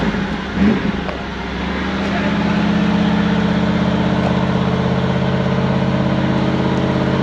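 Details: 1994 Pontiac Trans Am GT V8 revived after sitting 17 years, with a new number 2 injector: after a short rev it settles into a deep, even idle with no misfire; oil pressure good, temperature rising to 110; normal idle.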